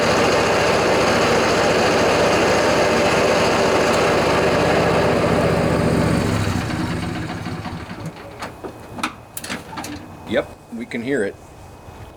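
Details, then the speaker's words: John Deere LA145 riding mower, 48-inch deck, cold 35-degree morning, blades engaged, customer reports much more noise: loud rough grinding drone then wind-down; worn deck spindle bearings. "the customer says it's been making a lot more noise when he turns on the blades so I suspect we have a deck problem"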